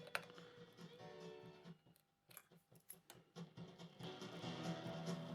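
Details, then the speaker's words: Monacor PA900 amplifier on the bench, 35 V DC supply, bias turned all the way down (true class B): music choppy, quiet passages dropping out, only loud peaks getting through; massively underbiased, crossover distortion. "oh yeah, that's what massively underbiased. You know, that would be true class B, one being turned off before the next one turns on. You can hear only the very peaks of the signals getting through."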